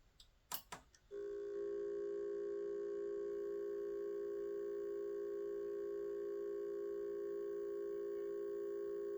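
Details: Broken Seagate hard drive: a few clicks, then a steady high electronic beeping tone with no rising spin-up whir; drive fails to spin up.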